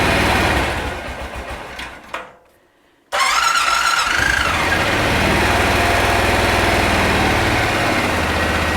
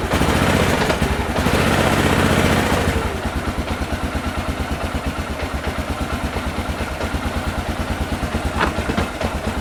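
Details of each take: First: 2001 Honda Rincon ATV, sat over two years, cold start on choke after carb clean and rebuild, fuel on reserve: catches after brief crank and settles into smooth, even idle with no misfire or mechanical noise; normal idle. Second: 2001 Honda Rincon ATV, sat over two years, cold and taken off choke: brief rev then quick pulsing idle that stumbles slightly; rough running when cold, choke put back on.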